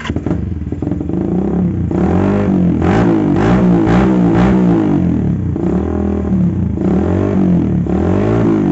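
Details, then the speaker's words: Carbureted motorcycle with vacuum fuel tap, previously stumbling at idle and low-mid rpm, after fuel vacuum fix with no carb or plug changes: revs rise and fall cleanly, idle restored, no stutter; normal idle and revving. "Nah teman-teman bisa kita dengar sendiri untuk suaranya tidak brebet lagi ya seperti tadi sekarang di bagian gasnya pun normal"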